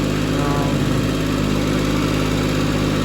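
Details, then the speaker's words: Skyjack scissor lift with a three-cylinder Kubota engine, idling after the misfire repair (a plug lead was arcing). A steady, even low idle with a smooth rhythm and no stumbling or dropouts; it now sounds really good. "i seem to fix it because it sounds really good now it doesn't sound like it's like running like"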